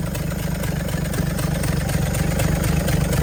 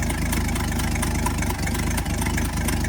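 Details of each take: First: 1964 Chevrolet C60 grain truck, inline 292 six, four-speed with high-low rear end: steady low rumble with an even, quick firing beat settling in after start; the old six catches and keeps running smoothly, normal running. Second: 1964 Chevrolet C60 grain truck, inline 292 six, idling before the drive home: low, loping idle with an occasional stumble every second or so; slight misfire at idle, owner says it doesn't sound too bad.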